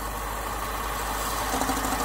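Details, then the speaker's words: BMW 6 Series E63/E64 N62 V8 at idle with oil filler cap removed: harsh busy rattle over steady idle; vacuum pump racket from loss of crankcase pressure control, signalling an air leak; quiet with cap on. "there you go hear that i think that's something horrible that's not that's the vacuum pump without any crankcase pressure control it makes an awful racket"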